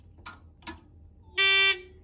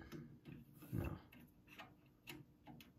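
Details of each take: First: Edwards 6616 fire alarm control panel made in 1997, repaired, with the initiating circuit shorted and set to code three; the relay clicks out the code with two short buzzes, then a clean steady high-pitched horn, alarm output working normally. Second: 1997 Edwards 6616 fire alarm control panel that works cold but fails once warm: faint, uneven relay ticks about every half second and one short beep. The panel stays in alarm and will not reset; cause suspected, not confirmed.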